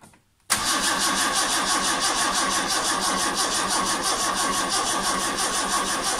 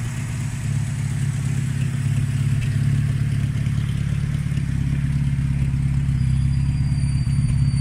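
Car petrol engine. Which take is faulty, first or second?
first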